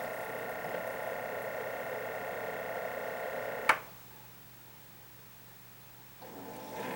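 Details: Keurig K60/K65 after clearing pump blockage and cleaning nozzle: steady pump buzz during brew, click and near silence, then softer hum as pump refills internal hot water reservoir while heater draws about 1200 W; normal brew cycle after repair.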